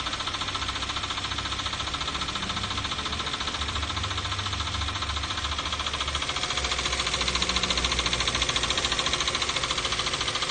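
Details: 2012 Toyota Avanza/Daihatsu Xenia, 1.5 L 3SZ-VE I4, at idle: a sharp, regular tapping of three to four knocks a second over the engine hum. Unchanged after an oil change and four new spark plugs; cause unknown.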